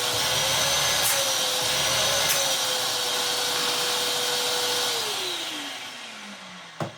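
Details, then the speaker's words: Vax Multivax 6131T tub vacuum, 1300 W with no speed control, switched on for its first test. High, even whoosh with a steady motor whine, then spinning down smoothly. Pump works; normal motor running. "The pump works as well. That is very good indeed."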